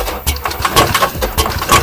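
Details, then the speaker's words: Iveco Daily 35S14 diesel, 370,000 km, timing chain kit never replaced (due at 250,000 km): chain slack let pistons hit valves, sharp metallic clacks about twice a second from top end over rough idle; broken rocker arm, engine teardown needed. "e esse barulho é do balancin quebrado por falta de manutenção do kit de corrente esse veículo está com 370.000 KM rodado"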